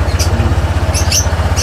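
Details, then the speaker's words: Honda ADV 160 scooter started after fitting a stainless skid plate (bolts torqued to 49 Nm), checking the exhaust pipe for leaks: steady, even pulses with no hiss or puffing between them; normal idle, exhaust sealed. "Okay naman siya. Okay. Wala naman siya singaw. Tama lang."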